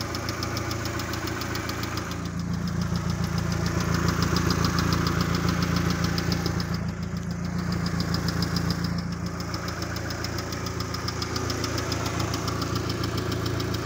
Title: Посторонний Звук двигателя